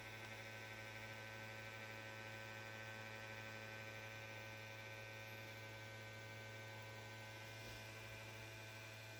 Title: ps5 making noise and won't turn on